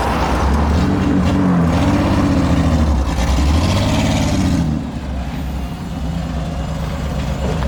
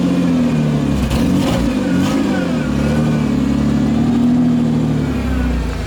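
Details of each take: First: Ford Explorer, six-cylinder, engine pulled up under load in gear: uneven, lumpy, stumbling note; misfire under load, not firing on all six cylinders. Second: 1992 Ford Explorer, 4.0-liter, 5-speed junkyard truck, run under load to check for a miss: it pulls smoothly, pitch rising and easing evenly with no stutter or dropped beats. No misfire, normal running under load.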